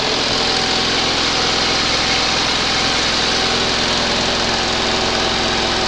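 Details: 20 HP Onan engine running for the first time after a rebuild, started on the second attempt after a spark check; even, steady rapid firing with a constant note, no misses or knocks. Normal running.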